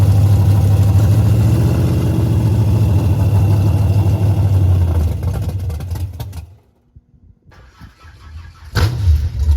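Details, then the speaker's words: Henry J drag car parked since 1977, first start after a battery charge: loud, deep open-exhaust rumble running steadily for several seconds, then shut off and blipped again; old engine runs strongly. "Look how loud it is. That was way too easy."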